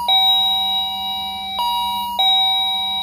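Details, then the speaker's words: Wireless doorbell chime box rung again indoors: three clear two-tone dings that decay evenly and the LED flashes with each ring, so the chime works normally. "sounds like the chime like the standard chime boxes the LED flashed when it rings"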